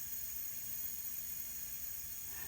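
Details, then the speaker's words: Ferguson TO20 tractor, long stored outdoors, cylinder leak-down test at about 90, engine not running: steady high-pitched hiss of air escaping past worn rings, nothing from head, radiator or carburetor, so no blown head gasket. "see how it's staying there it's staying it's coming down a little but that's kind of just telling us and you can hear it here we're just we're losing air from rings so there is no blown head gasket on this tractor"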